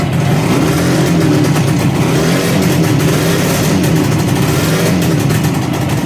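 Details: 1963 Ariel Arrow Super Sports 250cc two-stroke twin, bought as a non-runner, first run after reassembly with repainted barrels: crisp two-stroke buzz rising cleanly with throttle, firing evenly. A loose rattle and oil leak appeared later.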